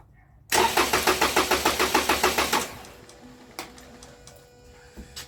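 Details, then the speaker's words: Toyota Camry, crank no-start case, after a one-minute battery disconnect hard reset: it cranks and catches with quick even pulses for about two seconds, then dies abruptly. No immobilizer codes stored, yet the start-and-shutdown suggests the immobilizer. "all right so even though there's no codes for the immobilizer I mean it did hit like when you start up it would start up immediately and shut down"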